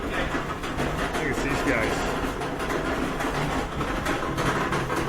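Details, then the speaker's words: Older Whirlpool dryer (possibly series 7) running: heavy, continuous low rumble as the drum turns, steady with no knock; most likely worn rear drum support rollers. "that's a pretty bad rumbling noise we're gonna unplug it and most likely it's the support rollers in the back that are having trouble"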